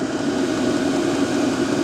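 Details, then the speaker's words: Diesel parking heater with the rear cover removed, microphone up close at the combustion air inlet during a silencer test, up to 78 dB measured; steady, loud whooshing hum with no rattles; intake is the main noise; normal running. "Wobei ich auch sagen muss, von der Lautstärke her ist der Luftauslass gar nicht so das Problem, meiner Meinung nach, sondern der Lufteinlass."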